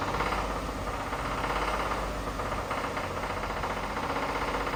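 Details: Toyota Tundra engine, about 30k, muffled running with a rough, not fully steady tapping about four times a second; engine knock of unknown source.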